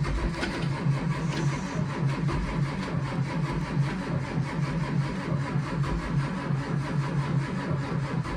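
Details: 2004 Blue Bird Vision bus (built 2003), pre-emissions 7.2L Caterpillar C7 210HP diesel, cold at about 23 degrees; it was plugged in earlier in the week and still reluctant. Slow, labored chugging at about two to three beats per second, never fires: extended cranking, no start.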